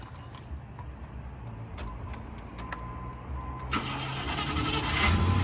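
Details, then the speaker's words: 1995 short-wheelbase Range Rover Classic V8 with 36,000 miles, just bought: key rattle, then it catches and settles into a rising, even rumble with no knocks or misfire; sounds healthy. "All right, that sounds pretty good. Yeah. That sounds healthy."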